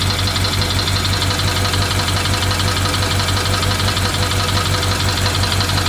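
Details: BMW 750Li N63 V8 at idle after fuel injector and high-pressure fuel pump replacement: light, fairly regular tick just over once a second over the rumble; ticking, owner suspects timing chain.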